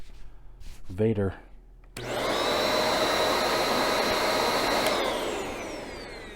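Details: Bissell 1306 Multi-Cyclonic upright vacuum after being cleaned out. A short click, then the motor spins up to a steady, even whine with a clean airflow rush, no moaning; it runs much better than before.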